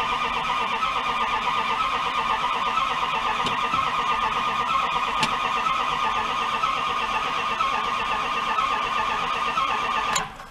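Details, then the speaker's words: 1997 fuel-injected Dodge Ram pickup parked four years with misfire issues: starter churns steadily about ten seconds, firing on only one cylinder with a faint occasional catch, won't start; low fuel suspected. "it kicks on one doesn't it"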